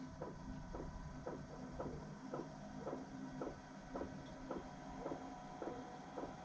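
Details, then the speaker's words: Webasto Air Top 2000 STC heater in a van, switched on during high-altitude adjustment with the remote between the 12 and 1 o'clock positions: steady ticking just under two per second from the fuel pump over a low hum; normal heater start-up. "the heater turns on like normal you can hear my fuel pump starting to push fuel into the heater now the heater is turning on"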